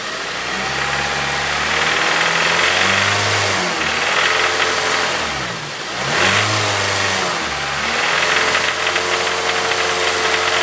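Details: Honda EP3 with K20A engine being revved: a rapid light knock rides over the engine, rising and falling with rpm. The source of the knock is unknown and the owner asks for help.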